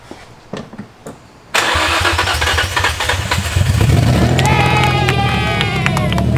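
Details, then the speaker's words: Infiniti G35 with a straight header and no exhaust or cat, starting after a wire fault was fixed: the starter cranks briefly, then it catches into a loud, raspy, steady idle; normal start, loud open exhaust. "so she runs but she runs these challenges loud as hell but we didn't have you know i don't have an exhaust or a cat or it's just straight header"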